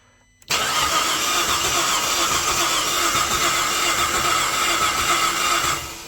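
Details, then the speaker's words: 2005 VZ Commodore V6 no-start on a jump pack, new fuel pump and coils: cranks about five seconds, fast and even, with no catch. Fuel pump working and spark present, but compression reads about 60–70, too low; it won't start. "I could see physically, but and our compression is less than that's 7060. Okay, that compression is no good."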